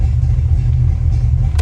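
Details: 1989 Fox-body Mustang GT V8 salvage car with major low compression, owner suspects head gaskets or rings: deep idle with a slightly uneven loping beat, running on five cylinders yet holding idle with good oil pressure; misfire from low compression.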